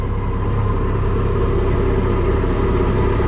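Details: MerCruiser inboard on a Manta Ray boat after electrical repair: steady, low, even engine note with no knocks or misses; normal running.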